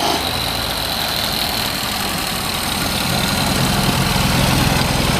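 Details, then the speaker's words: Unrestored original 1932 Ford Model B coupe, 201 cu in flathead inline four, about 50 hp, downdraft carburetor, 3-speed manual; busy but even four-cylinder chatter at steady idle, no knocks or stumbles, runs good. "Sounds good, runs good. It's not a powerhouse, but they weren't powerhouses."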